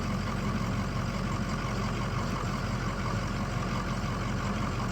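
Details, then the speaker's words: 6.0 Powerstroke diesel running on 90 engine oil, warm after driving to work: low steady idle, smooth and even, with none of the usual injector clatter; quietest it has ever run. "I don't know how well you can hear it but six liter diesel usually the injectors are super noisy while it runs this is the best that this truck has ever run can't hear the injectors right now they're so quiet"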